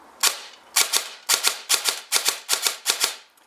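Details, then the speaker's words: Airsoft Entrepôt V2 Ama Tsu Maru gearbox with M120 spring (310 to 405-406 FPS) on an 11.1V LiPo: eight crisp, separate shots about two a second, no run-on; the spring tension stops the semi-auto burst, so it fires clean singles. "déjà on peut voir que grâce à la tension du ressort on va plus avoir le burst au niveau du semi avec ses grosses batteries 11 v 1"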